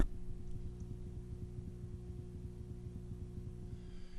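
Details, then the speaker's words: Fender Bassbreaker 15 tube amp during retubing, mic held up to the glowing tubes, all volume down: low steady hum with a fast regular pulsing throb that seems to follow the flashing standby light; hum cause not found, basement wiring suspected. "still got that sound it sounds like it's going in conjunction with the flashing of this which is the standby"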